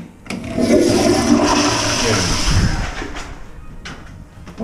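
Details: Movie theater toilet flushed after the sewer line was cleared with an electric snake: one strong rushing flush with a quick gurgle as it drains fast, no slow glugging or backing up; line runs freely.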